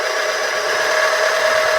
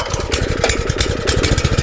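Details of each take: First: Compactor plate exciter, belt removed, spun by hand: harsh, gritty grinding with a thin steady ring from bearings failed through lack of oil (barely covering the bottom instead of 100 ml). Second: Compactor plate engine after replacing failed exciter bearings (caused by lack of oil), idling on choke with exciter not spinning via centrifugal clutch: even quick pulses around twelve a second, steady low thump, no squeal; normal idle.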